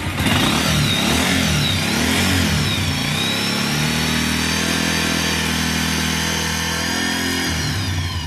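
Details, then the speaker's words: Motorcycle after cam chain tensioner adjustment, at idle: steady, even beat, head tapping gone; a faint sound remains, said to be cured by changing the tensioner. "Okay, பார்த்தீங்கன்னா தெரியும் உங்களுக்கு சவுண்ட் வந்து சுத்தமாக அரெஸ்ட் ஆகிடுச்சு. ஆனால் லைட்டாக மானிட்டாக இருக்குது."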